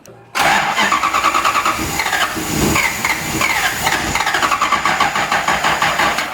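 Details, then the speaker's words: Lexus IS200 with swapped 1UZ V8, first start attempt on ECU Master ECU, 25 PSI fuel, 24 ms cranking injection: starter cranks rapid and rough without catching, battery flat; weak battery cranking. "Putain, y'a plus de batterie. Ah! Oh, c'est un délire. Il faut H24 changer les batteries."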